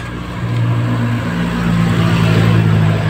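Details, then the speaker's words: Honda Click 150i scooter: loud, steady low drone under the engine with no clean tone, persisting although many parts incl. the bracket-side bearing were already replaced; worn side bearing noise. "Marami ng pinalitan dito kas nga may malakas yung tunog"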